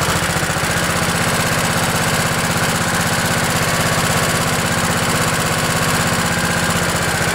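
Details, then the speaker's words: Craftsman LT 1000 riding mower with 16 hp Kohler Command OHV single-cylinder engine, cold start using the choke at about 20°F after an ice storm: steady, even thump of about four beats a second with no misfires or knocking, a healthy idle. "well i'm gonna call that a success and uh today we're giving two thumbs up to kohler command engines"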